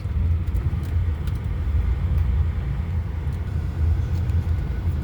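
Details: 2011 Honda New Fit with 158,000 km, front suspension heard on a road test after suspension work: a steady low road rumble with no knocks or clunks. The suspension subframe mounting bolts had been found completely loose, and the suspension now sounds quiet.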